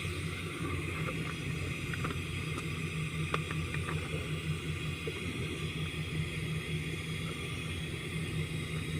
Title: Engine misfire cylinder number 5 valve lifter collapse and camshaft worn out